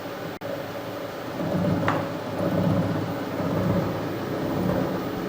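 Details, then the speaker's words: Harrison universal milling machine after servicing, cutting two 12 mm wide, 1 mm deep cuts, spindle raised from about 45 toward 65 RPM: low even hum, faint steady tone, no knocks or grinding; quiet normal milling. "you can hear how quiet that machine is now"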